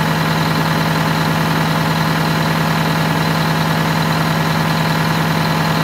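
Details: Wanderlodge bus Detroit Diesel 8V92TA after low-boost fix (new injectors, new turbo, new air filter, correct oil): even steady idle about three beats a second, no knocks or misses; healthy.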